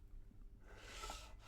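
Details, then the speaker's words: TT120 model railway, track PVA-bonded to a solid surface, wagon pushed gently back and forth: soft even rolling hiss with no rumble or roar; massive noise difference between wood and foam. "got enough pressure just to move backs and forwards and the noise you can hear difference from the wood to the foam is massive"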